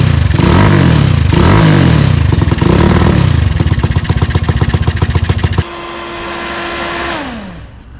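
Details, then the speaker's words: Tao Tao 250 quad with a new replacement engine, puffing black smoke: throttle blips break into rapid uneven popping sputter, about four beats a second, then fades and stalls; poor response, owner unsure if rich, considers carb mixture adjustment. "Maybe it just wants more fuel and I can just adjust it out through the carb."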